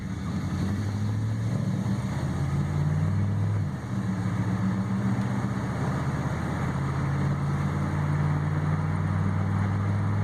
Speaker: You hear how smooth it shifts through all the gears. Just went through all the gears.